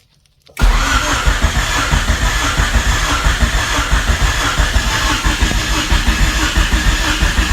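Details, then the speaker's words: 1999 Honda Civic EK hatchback revived after sitting for years, first start attempt; starter and relay work, fuel pump and ECU on; cranks steadily several seconds but never catches; owner suspects firing order, swapped injectors or no spark. "Well, starter works. Starter relay works, but it's not firing."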